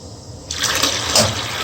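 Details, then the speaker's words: Old millivolt steam boiler with McDonald & Miller #67 low water cutoff and 101A 24-volt feeder, blowdown lever lifted: a clunk as the burner shuts off, then steady hissing water as the feeder fills, then burner restarts; normal operation. "okay that clunk and then the burner's gone off the feeder is still feeding and the burners come on and the feeders going off"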